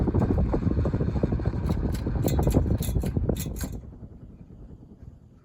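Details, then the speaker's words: Lasso/Sears Turn of the Century 4-speed ceiling fan with skeletal motor, cleaned of kitchen grease, coasting down from speed 4: soft airy rush with light even ticking fading smoothly, no grinding; really long spin-down from good bearings, normal. "Really long spin down because it has really good bearings."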